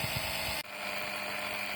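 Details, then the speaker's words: LIDL suction pump draining hot oil from a Citroën C5 X7 2.0 HDi 138 (DW10) after the probe was pushed further in: whine drops sharply to a lower, duller steady tone as hot oil flows; pump working normally. "Alors, le bruit de la pompe moteur est c'est beaucoup plus sourd comme bruit. Et effectivement, il a fallu que je la pousse plus loin."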